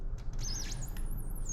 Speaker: so if you can hear that squeak sound that means you're getting a really good cut on the material